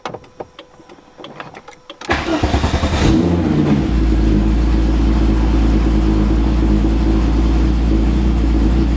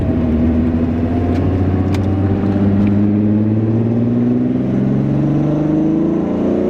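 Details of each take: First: VW VR6 with alarm bypassed but still flashing, after cranking with clicking: engine catches about two seconds in and holds a steady fast idle that never settles; idling really high after start. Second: VR6 VW Mk3 starting and pulling smoothly with back window down to hear exhaust, even note climbing with revs, no clicking, stumbling or misfire after junkyard parts fix; now starts and stops every time: normal running.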